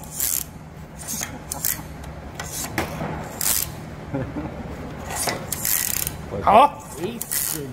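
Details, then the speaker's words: Toyota Hilux SR5 2.8 handbrake lever after cleaning and lubrication: crisp, even ratchet clicks as the lever is pulled and released, no grinding or sticking; the mechanism sounds improved and healthy. "escuta o bar escuta o barulhinho como é que melhorou escuta conhece esse barulhinho da quando pu de mão"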